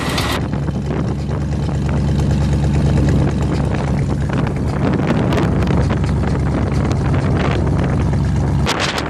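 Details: 1985 Chevrolet Silverado K10 pickup, 305 V8 (third engine), idling with a low, uneven knock under the rumble and some wind on the mic; engine knock at idle, cause still being diagnosed.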